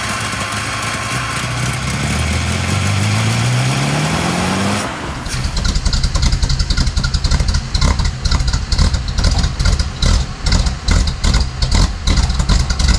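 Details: 1950 Pontiac Chieftain straight-eight after sitting too long, started with starter fluid after fuel reached the carburetor (carburetor leaking, fuel shut off): starter winds up, engine catches and settles into a steady even idle; runs well after valves cleaned.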